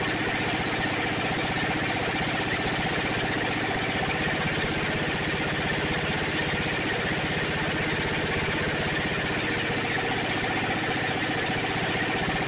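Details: Snapper 28" riding mower, 12.5 hp Briggs & Stratton single-cylinder, hard-starting: with kill wire off and coil grounded by screwdriver, engine runs steady and even at idle, no misses or knocks; runs normally.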